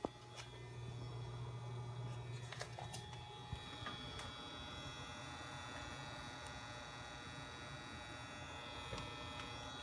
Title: Alienware Aurora R7 - Weird noises